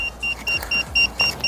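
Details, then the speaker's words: Pride Jazzy Ultra Light folding power wheelchair: fast, steady high-pitched controller beeping, about four a second, with both freewheel levers pressed down into neutral; the chair won't drive until the levers are back in the drive/lock position. "but if you have these in neutral you're not going to be able to operate the chair and it's going to beep like that"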